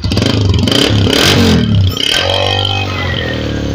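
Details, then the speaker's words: Freshly restored Honda CG125 Deluxe with a newly fitted cover, started up: single-cylinder engine blips then settles to a crisp, even idle with no knocks or rattles; a very nice, healthy sound. "माशाल्लाह दोस्तों बहुत ही प्यारा साउंड है, और अल्हम्दुलिल्लाह कि बेहतरीन गाड़ी बनी है, बिल्कुल जैसे भाई चाहते थे वैसी बनी है।"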